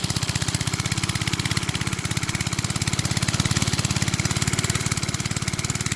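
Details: Briggs and Stratton-powered rotavator, thought to be from the 1970s, stood about 4 years unused, started from cold with a bit more throttle: quick, even single-cylinder putter about three and a half beats a second, no misses or knocks; normal running.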